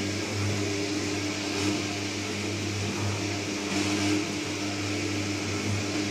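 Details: New Candy Trio 9501/1X running far too loudly: a constant low hum with droning resonance at one pitch throughout. Cause not known.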